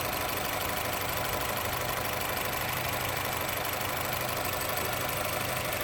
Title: Honda City Engine Rough Idle